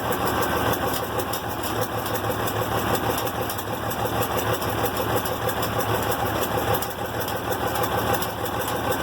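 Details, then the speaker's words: IH Farmall 706 on its first start with a new carburetor, cold, choke just used, idle mixture not yet set: a light, uneven "clinky clacky" clacking over a steady low rumble. Idle clatter. "Yeah, she's doing a little flapper dance, a little clinky clacky."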